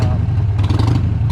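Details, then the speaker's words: 2001 Harley-Davidson Sportster 883 Evo V-twin, test ride after CV carb tuning to cure hesitation, camera's own mic: deep throbbing beat pulls strongly and evenly under throttle with no stumble or misfire. More power and responsive; later died at idle. "so already this thing just feels so much better. It has so much more power and it's so much more responsive,"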